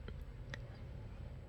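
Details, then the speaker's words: Acer laptop on its charger because the battery has dropped, hard drive corrupted: faint, sharp, irregular clicks over a quiet hum right after power-on, then "No bootable device". Failing hard drive; the fix is to replace it and reinstall. "apa ya kayak ada kletek-kletek gitu di hardisknya Nah ada suaranya teman-teman"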